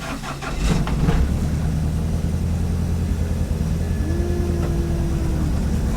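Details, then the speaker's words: Ford Fiesta with Blacktop engine turbo conversion after fitting a MAC valve and raising boost: engine catches and settles to low idle, a thin strained tone hanging over it; turbo failed. "don't sound good is it it's very broken very broken"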